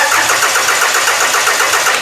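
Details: Toyota engine, cranked with computer on and QuickStart spray: even quick cranking at about eight compressions a second but never fires; spark cuts in and out with computer on/off, cause unknown.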